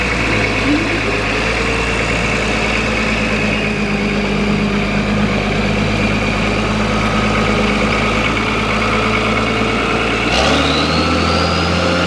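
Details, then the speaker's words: Diesel engine from a 1984 60 series, just under 900,000 original km, never opened, aftermarket turbo, uses some oil on long highway runs: steady even idle with clear high whistle straight off the turbo; normal, healthy idle. "he sounds good too nice whistle to her straight off the turbo"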